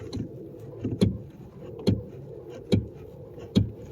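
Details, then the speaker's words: Mercedes S600 coupe, car rocked with the suspension system at zero pressure: sharp hollow knocks about once a second as the strut hits the body, from a worn rear strut upper mount. "There's a hit to it, like you hear it banging, like something is hitting from under, and that's what it is. And the upper mount here is bad."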